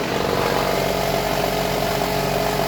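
A steady, unchanging idle hum with no knocks, misses or surges; the engine runs smoothly at idle.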